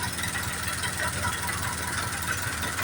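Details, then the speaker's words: John Deere 5078 tractor diesel after its injection pump was rebuilt and refitted and the gears were centred at the shop; the strange engine noise is gone, leaving a steady, even idle clatter with no misses or knocks: normal idle. "Acabou o barulho que tava aí, ó. Beleza. Certinho, ó."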